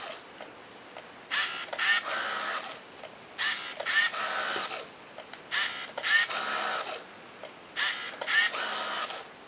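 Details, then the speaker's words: Yashica T4 Super D camera functional test: four shutter clicks each followed by a brisk one-second motor whirr as film winds and counter advances; normal film advance. "can hear the motor whines the film quickly and then counter advances"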